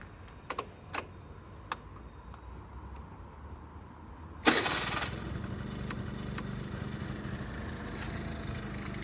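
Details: 5-year-old Honda Lead 50 scooter, engine warm after running, electric starter: quiet ticking, then a brief starter burst catches at once into a steady, even idle; normal hot start.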